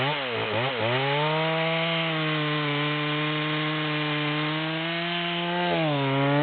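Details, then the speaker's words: Stock rear-handle Stihl MS200 with a 25-inch bar, near-new, high-speed screw at the stop, cutting a large log: a high buzzing pitch sags and drops as it bites; bogging, it can't pull the long chain. "we're about a third of the way down at this point and you can see it's struggling to pull the chain"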